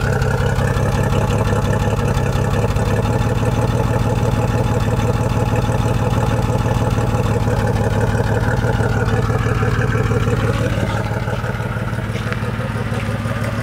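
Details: 1987 Jeep XJ engine: steady low drone with an uneven pulsing about three times a second, idle stumbling rather than running even; sputtering, possible misfire.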